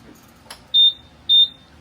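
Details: Buzzaround EX four-wheeled mobility scooter, powered on at lowest speed setting: shrill beeps about two per second repeating evenly, controller flashing fault code 7; suspected speed pod or throttle control fault.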